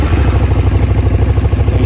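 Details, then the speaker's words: Motorcycle at idle: a low, lumpy idle with a faint, quick, even tick on top; owner suspects the valves need checking, unconfirmed. "The valves need looking at. I'm going to be coming up to changing the plugs again, so when I do that, I'll get in there and check those valves. You probably can hear there is a problem with them when we get it started."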